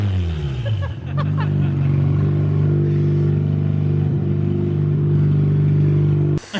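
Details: BMW E36 ute with a 13B rotary, first start after rewiring: raw, very loud blatting drone that climbs as it revs, then cuts off; open header with no muffler, one to be welded on.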